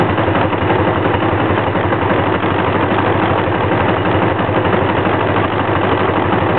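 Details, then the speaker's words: 1984 Honda Magna V65 with a hard-starting problem, cold and idling on a little over half choke: a rough-edged but continuous idle with a steady low throb and no stumbling. Pushing the choke further raises the rpm. The cause is undiagnosed. "More choke. I don't know, it's about halfway up on the choke, a little over halfway on the choke. Seems to be idling okay."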